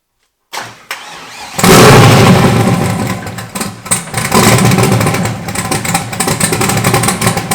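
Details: Freshly rebuilt turbo 5.3 LS (LH6) V8, S475 turbo, Terminator X Max, stage 2 turbo cam, first start with the starter jumped by screwdriver: brief crank, then a loud, slightly lumpy steady idle, no knocking; oil blowing out, fuel leaks.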